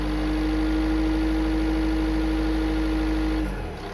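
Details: 2014 Renault Scénic III 1.6 dCi 130 diesel at idle: steady mid-pitched whine over the engine that cuts out abruptly; source unknown, owner wonders if hose, turbo or pulley.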